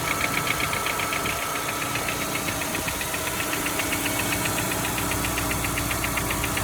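Steady petrol engine with a fast, fairly regular light tapping, roughly four per second, riding over the running note; a knock of unknown origin.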